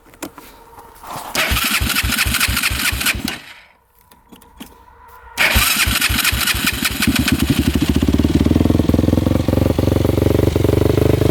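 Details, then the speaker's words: Modded Yamaha YFZ450 race quad single-cylinder fires up, cuts out, restarts, then idle sits high and drifts up and down, hanging. Fuel flow checked good; owner suspects the carb slide is sticking or moving randomly. "ne thing the idle is hanging up a little bit sometimes it goes down sometimes it goes up I'm thinking the slides getting caught in the carb"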